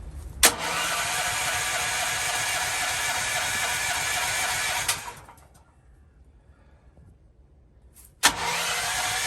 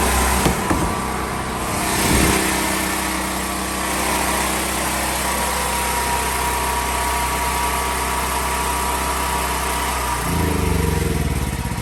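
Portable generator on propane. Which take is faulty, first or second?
first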